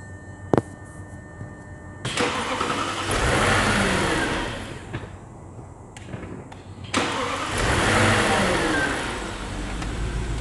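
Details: 2009 Audi Q7 4.2 V8 FSI, 32,157 km, no fault lamp lit: engine runs rough and uneven, surging in two swells, labored as if compression were weak, a misfiring cylinder.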